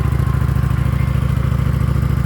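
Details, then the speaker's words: 2019 Kawasaki Vulcan Classic LT V-twin right after a spark plug change for bogging on acceleration, not yet warmed up: steady, even idle thump with no misses; smoother and vibrating less than before. "it's running smoother it's not vibrating as much so let's let it warm up a bit and then we'll give us some gas"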